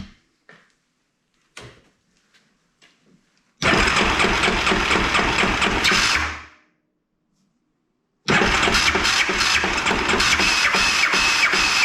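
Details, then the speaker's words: 2001 Yamaha Kodiak 400 ATV after new starter clutch and starter reinstalled: short crank tries then long harsh grinding while cranking without catching, sounds the same as before; owner unsure if starter or one-way bearing, cause not found. "sounds about the same I honestly don't know if it's starter one-way bearing darn it"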